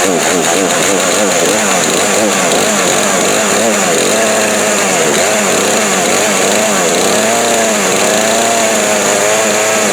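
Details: Craftsman 18-inch 42cc chainsaw, bought 2013–2014, first start after about 5 years in a shed on old gas, choked; steady buzz with small pitch rises and dips as the throttle moves, clean and even without misses; normal running.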